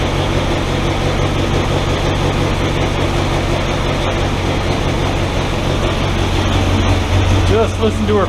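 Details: 1964 Willys CJ5 Jeep four-cylinder after new water pump and thermostat, coolant refilled: settles into steady low idle, even and unhurried, no knocks or squeals, running like a kitten; healthy engine.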